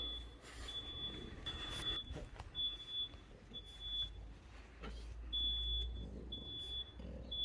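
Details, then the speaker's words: Shrill, high-pitched repeated long-pulse tone of a carbon monoxide alarm going off inside a self-build VW Crafter campervan during a battery install; unclear whether a low alarm battery or actual gas. "That's the carbon monoxide alarm going off in the van."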